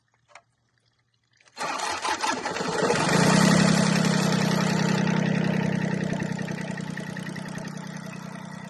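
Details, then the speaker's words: Westerbeke 21 marine diesel, first crank in a year after bleeding injectors, raw water drawn from a hose-fed bucket: short crank, catches and settles into steady even idle with water splashing, water pump working; normal idle. "right, hadn't been cranked in a year, so the pump's working, water pump's working."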